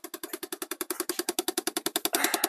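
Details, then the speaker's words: 2012 Chevy Impala 3.6 liter: rapid even plastic clicking from behind the dashboard, caused by an HVAC heater blend door actuator, fixed by replacing the actuator. "so if you're watching this more than likely you've probably got one of these cars and it's probably making that noise uh the cause of the noise is part of the HVAC system it's part of your heater"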